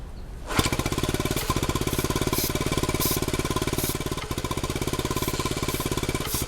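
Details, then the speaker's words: 1971 Honda CT90 single after reassembly, only runs on choke; fast uneven popping with harsh rattle while connections sprayed with starting fluid, no RPM change so air leak ruled out; owner suspects dirty carb jets, cause unclear. "Huh. That doesn't sound good at all. Huh. I don't know what that is."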